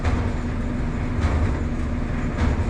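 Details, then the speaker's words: Gas clothes dryer after repair test, door switch working: steady low rumble with soft swish about every second as drum turns, heat climbing to 250°; dryer running and heating normally. "180 195 222 250 the freaking dry is working"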